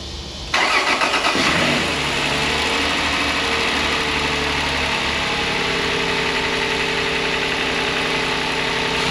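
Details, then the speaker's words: 2004 Toyota 4Runner, 4.0 V6, automatic, 4WD, first start of a cheap replacement engine just installed: starter whirs, engine catches cleanly and settles into a smooth, even idle with no misses or knocks; sounds healthy. "Wow. Sounds great to me. Definitely good enough to put together the rest of the way."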